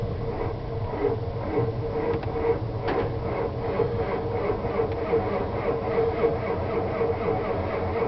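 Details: 1992 7.2 IDI diesel, glow plugs already run, also happens when warm: cranks unevenly, dragging slow as if the batteries are flat, then speeding up without firing; owner says not batteries or wiring but a failing starter motor.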